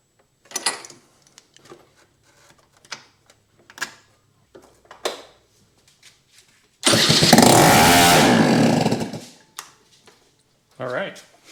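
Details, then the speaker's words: 2004 Kymco Super 9s 50cc liquid-cooled two-stroke scooter, about 11,000 km, first test fire after top-end reinstall with exhaust and carb removed: scattered kicks and clicks, then a loud raw rasp for about two seconds as it fires, confirming compression. "all right so that's awesome so now at least we know it has compression it will fire now"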